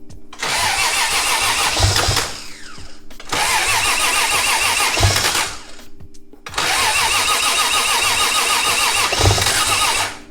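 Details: Nissan S14 240SX with 1JZ VVTi swap (BC 264 cams, Borg Warner turbo, CD009 gearbox) at first start after the swap: three cranking bursts of about three seconds each catch briefly and die; won't keep running, fuel pressure reads about 50-something psi.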